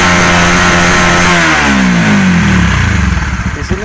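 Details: Honda CB150R, no MIL code, stumbling at low and high rpm: revs climb then turn uneven at the top, fuel-starved misfire as fuel pump pressure drops from 30 to 20 when throttled; tank to be checked for water/dirt.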